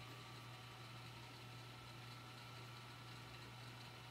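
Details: Admiral JSJ-20434 VHS VCR rewinding a tape: steady low hum under an even whirring hiss with no catching, squeal or slowing; the tape transport is rewinding smoothly and normally.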